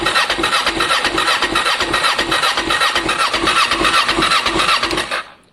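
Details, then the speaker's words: Kawasaki ER6n project bike on a borrowed new battery, no start even with spray: starter churns about 2.5 pulses a second with motor whine for five seconds, never fires. Crank no start; owner plans to clean and check spark plugs, side stand switch missing. "it's not very happy at all. I need to get down to the spark plugs basically, guys, give them a clean, check that they're sparking, check which one of these is spark so that I can wire it full time."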